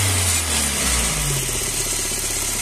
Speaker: el siguiente sonido a veces no es propio interno del motor sino de partes externas a veces ni siquiera es grave y es una lámina que está suelta y se escucha así